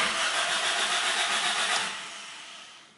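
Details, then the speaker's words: Car cranks but won't start: starter spins steadily at about four turns a second, yet the engine never catches and winds down; the fuel tank was found empty. "when I rotate that key in that way there is the sound this utility and it means the engine is trying to start but no any start and then I need to do my next thing and what is wrong and then I suddenly notice that hey my fuel tank is also empty"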